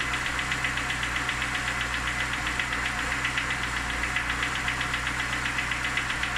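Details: Lada Niva engine at idle: a sharp, even tick-knock about four times per second rides over the engine. The origin is unknown.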